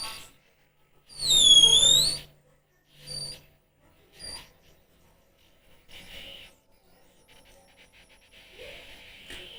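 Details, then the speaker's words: 1970s Delco GM truck radio from a Chevy C10, first bench power-up before repair and Bluetooth mod, drawing about 1.2 A: sharp wavering squeal then crackly bursts and hiss; noisy radio, cause unclear. "I'm going to turn off my microphone uh filters and you can hear that static along with me noise suppression off"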